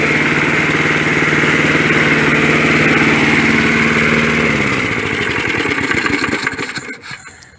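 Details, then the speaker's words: 1965 Briggs & Stratton 82906 3 hp wind-up-start engine, sat for years, first start after only fuel and oil added; on full choke, main jet possibly clogged. Quick, even beat then slows and dies away smoothly, no misses or knocking; normal running. "it even kicks back on compression. That's a great sign. Fuck, I did not expect it to run that nice."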